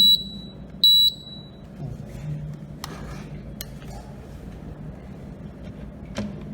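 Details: AC indoor PCB restarted on the bench after thermistor sensor testing, with the display showing E1/E2; two short high-pitched beeps at switch-on, then a quiet hum and faint handling noise, which is the board's normal power-up beep.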